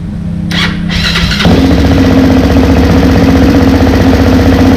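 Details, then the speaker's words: Honda 400EX engine just rebuilt (top end, valves adjusted, repaired head stud thread); steady even single-cylinder drone with no misses, running well so far; carburetor believed rich, tuning still to come. "so we're able to get it running and it seems to be running pretty good as of this moment"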